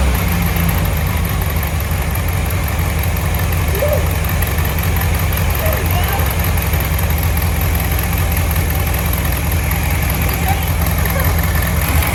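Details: 1967 VW Beetle air-cooled flat-four that had a varnish-filled carburetor, running on its own: steady, even low idle with no hiss or stumble. No vacuum leaks and good power; normal idle.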